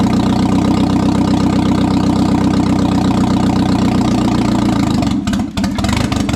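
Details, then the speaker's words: 1997 Audi A4 B5 turbo, first start after engine install, no exhaust fitted: loud, raw idle with a steady pulse about four per second; it runs, but is probably running rich. "so now we just got to work on exhaust which is fine top off all the fluids and it's probably running super rich"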